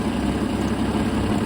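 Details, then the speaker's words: Jeep XJ after replacing a bad fuel injector and resealing a leaking fuel rail connection with a new gasket: steady low idle with an even beat, no stumble or miss; runs smooth and healthy. "I'll pull up the old version, if I can find it, of how it was idling, roughness, and compare it with how it is now. It's much smoother."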